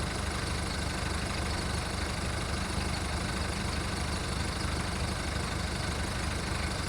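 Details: VW Golf Mk1 1.9 turbo diesel idling cold after five months of winter storage: steady diesel clatter with a slightly uneven low beat while warming, a rough cold idle.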